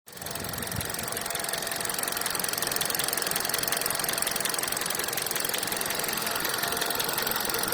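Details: 2019 Hyundai Solaris (Accent) engine at steady idle with a fast, even ticking knock over it at a few beats per second; knock of unknown cause.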